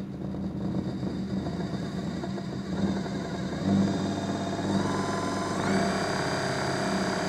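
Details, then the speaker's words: DC motor on a homemade 220 V 4000 W thyristor speed controller, soft start stepping up in speed: smooth run with only mechanical vibration rattle and motor whir, and no electrical hum from the controller. "Bien, pas de bourdonnement. Ce ne sont que des vibrations et le bruit du moteur lui-même."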